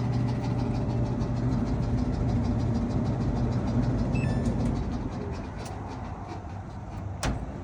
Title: Samsung Dryer Making A Weird Noise | Rubbing Sound | Noisy Dryer | Squeaking Noise